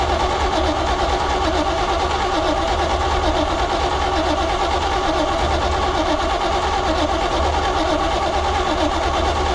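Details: 1972 Chevrolet C20 pickup stored over 20 years, first start attempt with gas squirted into the carburettor and no fuel pump pressure seen: steady even starter churning, engine never catches; cranks without starting.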